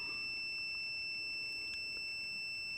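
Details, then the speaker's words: Continuity beep test on a second multimeter using a decade box at 40 ohms, meter reading 45: a steady unbroken high-pitched tone still sounds; this meter reads about six ohms high and stops beeping at 70 ohms. "45 ohms. 45 plus. Still beeping."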